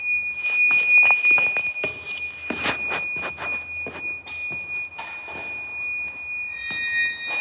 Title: The iPhone Discovery 1—Weird Beeping Noise at Westminster School Amman (read description)